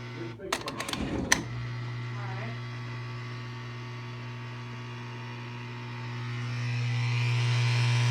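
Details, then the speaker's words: Kenmore dishwasher that won't drain, on heavy wash high-temp cycle with water left inside: a few clicks then a steady low pump hum rising slightly; pump runs but water isn't draining. "hear that pump? You hear that sound it makes? God, that dishwasher needs some maintenance."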